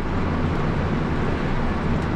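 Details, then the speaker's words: Pössl camper van at speed after sealing the front Midi-Heki roof skylight with a strip (it whistled loudly from about 65 km/h): steady low road and wind rumble, whistle gone. "das ist doch schon viele erträglicher oder"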